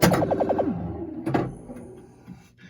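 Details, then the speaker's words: Gottlieb The Games (game 691) pinball sound board after a failed 7404 was replaced, which had caused no or garbled sound: quick rising electronic tones, a thunk, then a springy boing at ball plunge; clean sound, board working. "And now let's start a game and plunge a ball. Here you have some sounds of the games."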